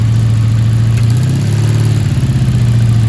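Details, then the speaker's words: 1984 Honda V65 Sabre VF1100S, just started cold after sitting outside a couple of months: low idle starts steady, then wobbles and pulses unevenly; owner says it isn't getting full gas and suspects dirt to work out. Rough idle. "okay we weren't getting full gas only neither that's weird she got some dirt to work out doesn't she"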